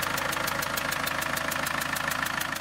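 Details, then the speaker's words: Land Rover 110 300Tdi diesel at idle, sharp regular chuffing about six a second, first thought to be exhaust; head gasket blew between cylinders 2 and 3, carbon shows it blew for a while; head gasket leak. "So you can hear this engine here chuffing, it actually came through the head gasket and not the exhaust as we first thought."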